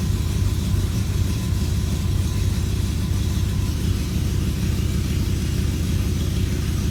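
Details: BMW E92 M3 with a deep, lumpy idle whose uneven pulse keeps hunting instead of settling; multiple-misfire code and bad popping on cold start, engine misfiring at idle with cause not yet found.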